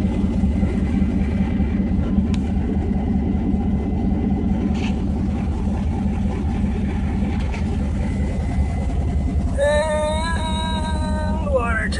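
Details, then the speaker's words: 1991 Mazda B2200, 6.0 LQ4 twin-turbo V8 swap, stock 2002 GM computer with a real fuel file replacing a high base fuel number: deep, steady idle without stumble, brief rising whistle near the end, warming up; normal idle. "a bit more civilized this time around with actual file for it to read for how much fuel to inject instead of just a base number of a ridiculously high quantity much better"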